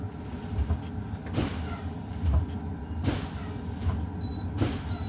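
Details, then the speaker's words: Combination truck idling in a CDL air brake low-air warning test, brakes pumped to drop pressure: sharp air bursts about every 1.5 s, then a brief warning tone; light and buzzer came on at 75 PSI, above the 55 PSI minimum; normal. "My light and buzzer activated at 75 PSI. This is a good test because they activated no lower than 55 PSI."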